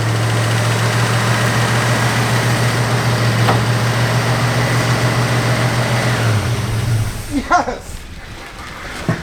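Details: 1963 Buick with original all-aluminum 215, abandoned for decades, restarted after a grounding-out coil was fixed: deep even burble holding steady idle about seven seconds before shut-off; smooth, no misses or knocks.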